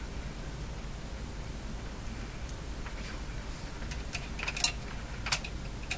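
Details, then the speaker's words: Philco 49-501 Boomerang radio, suspected deteriorated special tuned capacitor: quiet hiss with irregular sharp ticks and crackles about once a second, not caused by tapping the bench nor sensitive to volume; intermittent fault of unknown origin. "I'm tapping my bench and it start a lot of strange sound coming out of it there not from this it's going away and ready next time that sound comes up it doesn't sound like the kind of thing you can tap doesn't seem to be particularly sensitive to the volume control either"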